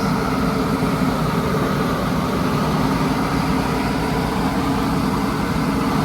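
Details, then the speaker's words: 1983 Chevy Holiday motorhome V8, sat 10 years, running on old gas: smooth steady drone at about 2,200 rpm idle with no hunting; idle too high, smoking. "It's literally idling at like 2,200 RPM. Look at that right there. That's a little high, I think."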